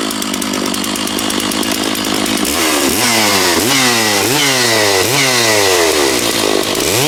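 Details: Stihl MS660 chainsaw after clutch repair, cutting what is probably an ash log, chain fairly sharp: starts flat out, then bogs and recovers in steady waves as it bites into wood; strong even pull, normal cutting.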